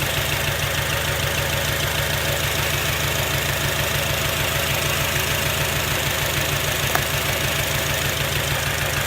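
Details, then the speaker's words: 2006 Acura TSX misfiring at idle, ignition coils unplugged one at a time: idle drops on good coils, one dead cylinder shows no change. Lumpy, uneven beat with a gap in firing. Cylinder misfire, its coil or plug. "Listen for the sound of the engine to go down if it's a good one. See how it went down like that? So that engine coil, still good."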